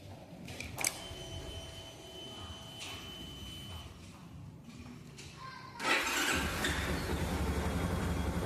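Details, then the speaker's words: 2015 Yamaha Fazer 250 Blueflex motorcycle at idle; faint steady high-pitched whistle over a quiet engine, source unknown to owner after long searching. "Fica um barulhinho apitando. Não sei se dá pra pegar no vídeo."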